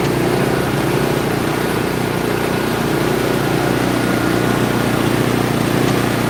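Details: Wheel Horse B115 small single-cylinder engine on a warm day after reassembly and choke attached: steady, even patter at fast idle with no knocks or misses; runs smoothly.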